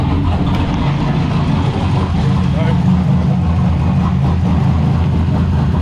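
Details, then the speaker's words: Drift car's newly assembled replacement engine, started cold just after being pulled into the garage. Lumpy uneven low idle, beat wandering without clean rhythm; rough cold idle, cause not identified. "you guys can hear what it sounds like with this crappy idle. It is still cold."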